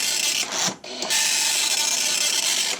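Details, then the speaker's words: 1984 Commodore MPS 801 dot matrix printer in test mode in 2021 with dry ink ribbon: rapid rasping print-head buzz in line bursts with brief carriage pauses; prints steadily and sounds healthy. "So yeah. There you go. Printing with a 1984 printer in 2021."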